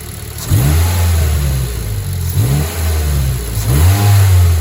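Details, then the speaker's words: Warm Mazda 3 after new NGK spark plugs and breather filter mod: blips cleanly up from steady idle and drops back evenly with clear intake hiss; healthy engine. "gave it a few revs off camera and you can hear the you can hear the intake sucking finally so I'll set the camera up and I'll rub it for you guys and you can hear it"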